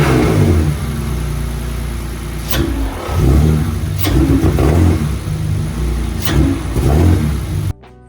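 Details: BMW E46 drift car, after reattaching brake booster hose, filter and MAF: idle then short throttle blips that rise sluggishly and drop back; engine bogs when revved, sometimes stalls; smoke test found no vacuum leak; injectors suspected, unconfirmed.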